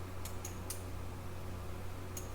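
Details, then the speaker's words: Technics SA-8000 Quad receiver that was smoking with no sound output, powered on after the missing fuse was installed: low mains hum and a few sharp clicks as the speaker protection relay pulls in immediately at power-on instead of after a delay. "I don't think that's so the protection relay is clicking in right away"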